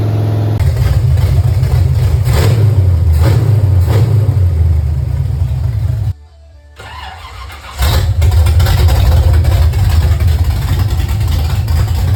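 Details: Refreshed 350 V8 pulled from a Pure Stock race car to fix issues: catches within a second, rumbles and revs in strong even pulls, briefly cuts out and restarts; runs cleanly.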